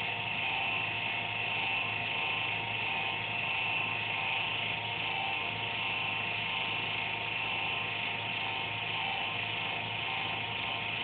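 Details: Computer under a desk makes an intermittent buzz randomly, once or twice a day, with speed and performance unaffected; thin, uneven high buzz with faint pulsing over a steady hum; owner suspects a fan, unsure.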